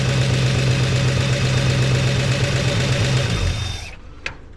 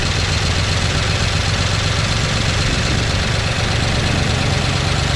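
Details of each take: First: 1969 Chevy C10 engine with oil pressure restored to 50 psi. Steady, even note holding speed a few seconds, then winding down smoothly to shut-off, no knock or tick; sounds healthy, flush and oil change still planned. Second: 1969 Chevy C10 engine with an oil pressure problem, started with carb cleaner after slow cranking; gauge barely moves, then drops. Steady loose clatter over rough idle, no clean rhythm, low rumble beneath; rattle suspected from oil starvation.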